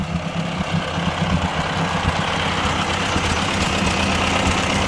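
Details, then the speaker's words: 1957 Ford 841 tractor with a Chinese replacement carburetor: steady even idle, low rumble, no misses; running stable, target about 2,000 RPM. "got it running pretty stable right now. I want it to run at about 2,000 RPM."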